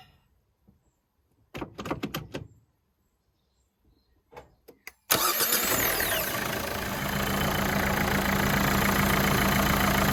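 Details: Renault Fluence after starter motor replacement: starter cranks briefly, engine catches at once and settles into an even, steady idle with no squeal or knock.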